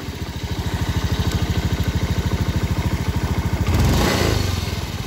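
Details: Honda Beat FI scooter, throttle twisted at standstill: a steady rapid "srak-srak" rattle about three times a second that rises with throttle, traced to a worn bearing in the CVT belt-drive cover.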